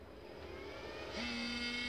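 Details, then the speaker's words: Taramps car audio amplifier module after repairing shorted transformer winding, powered on bench: faint hiss, then small cooling fan spins up with thin whirring whine wavering in pitch; noisy fan needing cleaning. "transformad o cooler fazendo barulho Pois é bom dar uma limpadinha no cooler depois"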